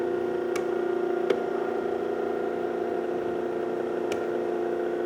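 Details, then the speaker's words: Old Harley-Davidson 12-volt generator on a home-built bench test rig, no load, output rising from 10 to 13 volts: steady even whir with no grinding or rubbing, a few handling clicks; normal generator operation. "It's up to 10 volts. You can hear it's going a lot faster just to get to 10 volts. So there's 13 volts."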